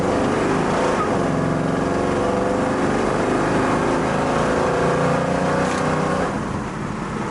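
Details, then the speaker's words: 1972 Chevrolet El Camino, warm at about 150 degrees with nearly 60 psi oil pressure, accelerating: revs climb then drop cleanly at firm shifts into second and third, no flare or slam, normal automatic shifts. "Nice firm shifts, both into second and into third. It shifts nice and taut, nice and firm."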